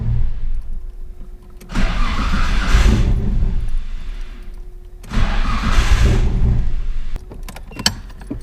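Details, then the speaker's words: Nissan R33 with series 1 RB25DET: two long cranking bursts that catch and sputter briefly but never idle; crank, no start from failed cam angle sensor throwing ignition timing off. "see what it does that's how you know that you have a cam angle sensor problem right there because that'll go ahead and start to fire up and once it starts to get going basically ignition timing is off and it won't fire"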